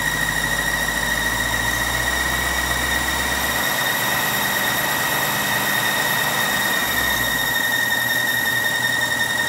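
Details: 2006 BMW 750i idling smoothly with a steady high-pitched squeak; owner thought it was the belt but it wasn't.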